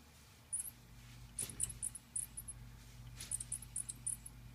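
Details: Salvage-yard rebuilt alternator for a 2002 Ford Ranger, off the vehicle and turned slowly by hand: bursts of short, very high-pitched chirps. This is not a bearing noise and differs from the old alternator's singing noise.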